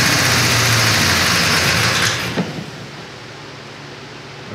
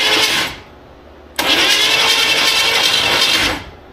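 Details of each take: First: 1957 Chevy wagon, believed 327 V8, first run after sitting for years: loud fast clattering tick on revving that fades as revs drop; owner hopes it's a noisy lifter, unconfirmed. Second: 1957 Chevy wagon, believed 327 V8, sat for years and would not turn by hand; on battery and starter, a brief crank burst, pause, then longer steady even crank with no binding thud; motor turns freely, not seized.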